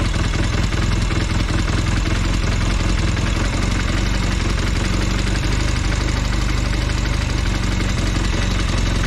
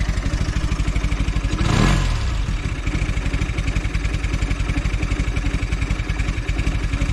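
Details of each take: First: Velocette LE, idle screw backed off to about 700 rpm after clutch and points adjustment: a slow, soft, even chuffing with a slightly lazy beat, a bit too low and right at the lowest acceptable idle. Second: Velocette LE idling at about 700 rpm after clutch and points adjustment: a slow, even putter, one brief throttle blip, then a steady regular beat, smoother than its earlier occasional miss or tick; a healthy idle.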